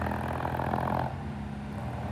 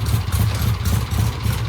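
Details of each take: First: 1967 Triumph vintage British twin motorcycle after cleaning the clogged pilot jet. Now an even, steady twin-cylinder beat with a smooth, settled idle and no stumbling or popping. Normal idle. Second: 1967 Triumph vintage motorcycle: uneven idle breaking up badly with irregular missing beats and sputtering bursts; misfire traced to a clogged pilot jet.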